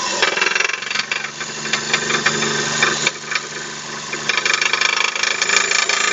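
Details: Daewoo Matiz 0.8: front crankshaft seal pushed out in frost, oil lost, main bearings spun; hard, rapid metallic knocking with a loose rattle on top through the idle; spun main bearing knock.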